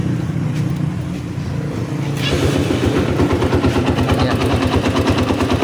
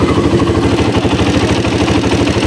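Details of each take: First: Honda XR200 single-cylinder after valve adjustment and new timing chain and tensioner fixing top-end noise: even running beat, no tapping from the top end; remaining noise only from clutch side. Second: Honda XR200 single-cylinder bike idling noisily: busy metallic ticking and clatter, timing chain and tensioner to be checked by opening the engine.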